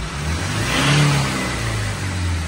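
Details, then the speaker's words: 2020 Toyota HiAce after flood, engine had sucked in water, water expelled via fuel injectors and codes cleared: revs smoothly to over 4,000 RPM and back, no misses or knocks; codes did not return, running healthy. "Ayos, sir. 4,000 mahigit RPM. Oo. Kaya na-delete na rin natin yung code, hindi naman bumalik."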